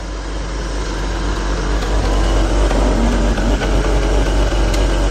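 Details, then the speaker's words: First start after the exhaust was fitted, with the exhaust flap possibly open at idle. A loud, steady idle with an occasional stumble where the beat drops out briefly. Slight misfire at idle, cause not found. "oh she's silent how's the flap open well i don't spit at me missed firing a little bit"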